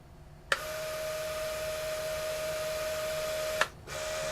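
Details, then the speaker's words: QIC tape drive running with a replacement Plastiband tension band, a steady even whir between two brief clicks. It runs much smoother than with the thin band. "run so much better let's take that out compared to the thin one"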